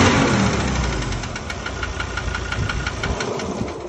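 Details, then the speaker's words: 2017 Ford Ranger diesel, 67,000 km, under warranty, no power loss or oil use: sharp metallic ticking three to four times a second over diesel idle clatter; mechanic suspects injector or internal engine, unconfirmed. "mas eu diria que esse barulho é bico. Ou motor mesmo. Ele falou, ó, o motor não perdeu força, não deu uso do óleo, mas tem esse barulho feio aí. Pode ser bico, moçada."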